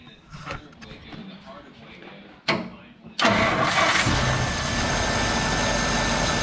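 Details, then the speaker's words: 1953 Packard after sitting 15 years, now running, no cooling system hooked up: brief crank catches almost at once and settles into steady, even idle with no misses; starts quickly, healthy. "but check out how quick this thing starts up when I hit the key"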